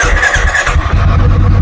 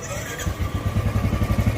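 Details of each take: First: 2017 Royal Enfield Bullet Classic BS4 with new battery: single cylinder thumps unevenly, stumbles on missed beats and dies after starting; misfire traced to a loose carburetor clamp letting air in. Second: 2017 Royal Enfield Bullet Classic BS4 single after repair: misfire was caused by a loose clamp, now fixed; steady even thumping at low revs with no skips as it picks up; normal running, no missing.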